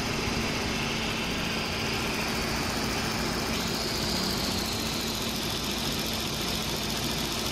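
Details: 2007 VW Golf GT 1.4 TSI twin-charged petrol, 6-speed DSG, idling after repair of the rattle from the supercharger clutch and water pump assembly; smooth, even idle with a steady low hum and no clatter or ticking.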